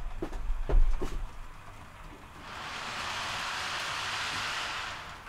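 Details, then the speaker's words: TT:120 model train on a glued-down track shelf layout: handling thumps, then a loud hard hissing roar as it runs fast; owner suspects hardened glue under the track makes a hard, noisy surface, possibly the TT wheels. "that it's quite loud it's really noisy and I'm confident it's just where like I say it's everything's glued and obviously the glue goes hard and it creates a hard surface"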